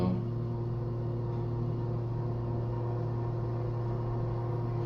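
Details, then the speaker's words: KONE/MCE hydraulic elevator, up run: steady deep pump hum with a constant low drone, very slow startup with heavy vibration and poor leveling; labouring up run, low oil suspected but not confirmed. "sounds like it's struggling to go up. I feel like it's low on oil."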